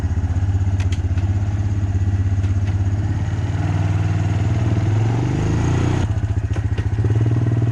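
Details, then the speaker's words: Abandoned Honda Recon ATV, back together for a test ride: low, even thumping about three beats a second, no knocks or misses; healthy single-cylinder idle, running great. "ran it around a little bit it's running great actually kind of surprised how good it runs"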